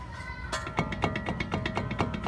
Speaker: Olha aí o barulho. Esse é o parafuso do guia que segura o disco.